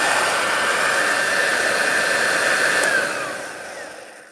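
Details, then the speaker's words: Belt-driven vacuum cleaner over 50 years old, run with no bag fitted and belt on, though the owner thinks it needs a new belt; steady high-pitched motor whir with even airflow hiss, then smooth spin-down; sounds healthy for its age. "sounds alright to me what does the motor sound like without the belt no for a vacuum cleaner that's uh over 50 years old it doesn't sound bad"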